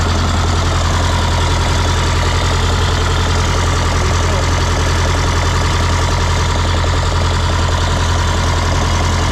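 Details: 1977 MCI coach with 8V71N Detroit two-stroke diesel, restarted after freeing three stuck injectors that caused a runaway: deep, steady drone with even low beat, no misses or knocks, idling cleanly; normal idle.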